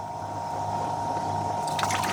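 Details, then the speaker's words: Evaporative cooler that still holds water, so it starts very quickly: the solenoid opens, the pump primes with a steady low hum, then splashing comes in as water falls as a curtain over the cellulose pads on all 4 sides, before the fan motor starts; normal priming and flow. "there's our water delivery. So you can see it falls as a curtain, and it falls on all 4 sides."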